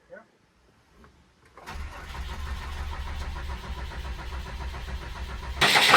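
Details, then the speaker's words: Cummins diesel motorhome with 39k miles, leaking hard fuel feed line bypassed with rubber line and tank pressurized: a steady starter churn cranks on without catching. Air is drawn into the leaking feed, and two new leaks were found afterward. "So probably what we'll do next is when we try to start it, we'll pressurize the tank again to help push fuel up to the injector pump so we're not pulling all the air that's in it."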